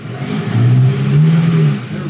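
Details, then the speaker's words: 2014 Chevrolet Malibu under brake-torque load: deep uneven drone stumbling rhythmically, a bad secondary-ignition misfire, with lean idle, failed catalytic converter and valve cover gasket leaking into coil area; intermittent stalling. "there's a misfire right there [Music] definitely secondary ignition related hear that [Music] that's a bad miss"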